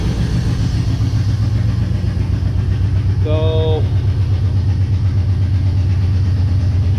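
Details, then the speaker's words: Chevy engine after engine mount work: uneven, lumpy low rumble stumbling about four beats a second, kind of sort of running; ignition timing incorrect, likely loose distributor; not charging as battery power lead left unhooked, plug wires also suspected. "well that was kind of sort of running like it's it kind of sort of ronan"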